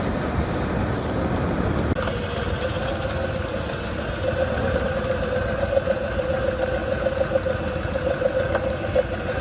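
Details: 1985 Harley-Davidson FXSB, stock chain primary, fresh engine/primary/transmission oil, hot engine: low idle with uneven knock and steady mid-pitched whine, worsening, only when hot; low RPM knocking, source unknown.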